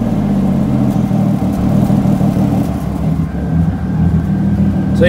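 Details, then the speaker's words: Cold start after sitting a couple weeks, turbocharged engine with a makeshift exhaust off the stock turbo elbow. Revving gives a raspy, uneven puffing chuff over the exhaust note, so an exhaust joint is leaking. "yeah this exhaust needs to go like you can hear the exhaust leaks"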